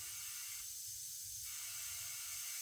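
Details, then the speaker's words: 1957 Ford Fairlane tire being inflated from 10 to 30 PSI: thin steady hiss of escaping air over compressor noise from a hole in the tire. "Hear it. There's a hole here."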